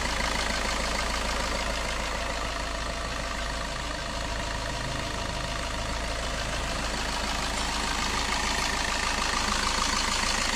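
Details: Suzuki Ertiga common-rail diesel (same engine as the Chevrolet Spin), freshly running after an engine teardown for a cracked camshaft holder in the cylinder head that leaked oil: steady, even idle clatter with no knocks or misses.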